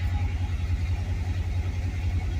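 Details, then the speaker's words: 1966 Dodge Charger V8, not started in a while, just fitted with an electric fuel pump relay: deep steady rumble with even lope, no stumbling or knocking; idling healthily without throttle. "Nice. She's ready. Heck yeah. Well, she fired up easy."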